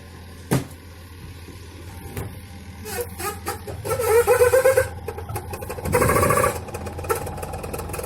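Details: Videocon Smart Wash Quanta+ 7.3 kg washing machine in spin: a steady low hum broken by loud, irregular rattling bursts from a worn suspension damper (buffer).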